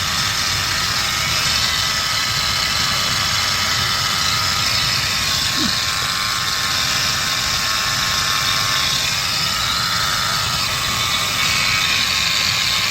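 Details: Ford F150 5.0 L at idle: harsh hissy scraping over a weak low rumble from the engine area; grinding noise, source not pinned down.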